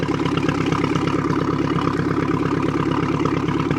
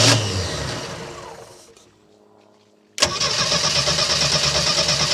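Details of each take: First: 1976 Mercruiser 120 hp with acceleration dead spot, just after carburetor rebuild and refit, fogged top end so slight smoke; fires right off into a smooth, even idle with a steady low chug, no stumbles, misfires or knocks. Normal idle. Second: 1976 MerCruiser 120 hp that ran out of fuel, 3-gallon tank refilled with 2.5 gallons, mic near the starter: a long labouring crank fades out, then a fresh crank catches and settles into a steady run. Hard starting after running out of fuel.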